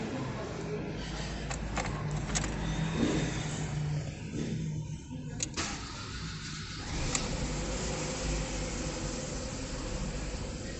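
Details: Ford Fiesta engine with terrible timing-chain noise, after chain kit replacement and new valve cover gasket to stop a leak: even, steady low idle with no chain rattle or tapping; runs smooth and settled.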